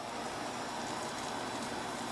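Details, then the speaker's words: SPARCStation 20 after replacing the fan with a larger one fed from a molex connector: steady, even airy whoosh, no ticking or rattle, much quieter than the old fan; running healthy. "is quiet hearing a little bit of noise from that fan but seems like it's much quieter than the old fan was so there's that I guess so far the $10 seems to be worth it"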